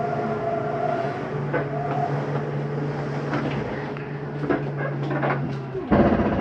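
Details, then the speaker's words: 2022 Jayco Eagle 321RSTS slide-out moving in: steady low motor hum that strains and clunks at full travel; normal end-of-travel noise from the slide mechanism. "It's okay to hear when you're putting your slides in or out. That's just the slide mechanism telling itself not to go in any further."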